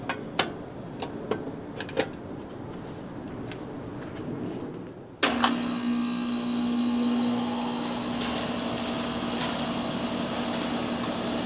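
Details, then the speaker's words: 2021 Carrier AC condenser powered back up outdoors on August 20, right after hosing down the condenser coil and changing the filter: handling clicks, then the compressor kicks in with a clean steady hum and fan rush, no rattles; healthy startup. "That started up pretty nicely."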